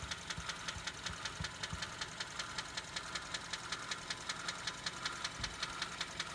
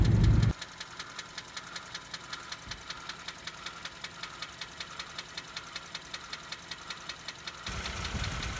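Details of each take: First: Engine idling before adding Lucas heavy duty oil stabilizer and engine oil stop leak with oil and filter change; sharp light tick about 2.5 per second over steady idle; valve lifter ticking, cause suspected, not confirmed. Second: Kia engine, warm idle after valve lifter quieting treatment: quiet idle with light, fast, even ticking from the GDI high-pressure fuel pump, which is normal; lifters now silent, no lifter tap.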